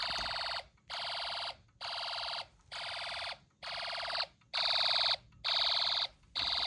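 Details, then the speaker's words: Snap Circuits hobby fire alarm, run on two battery packs, after a pull station is pulled in the dark: shrill high horn blasts about one per second, clear and steady; alarm sounding normally. "It is really dark at night. Let's see what happens if I pull a pole station."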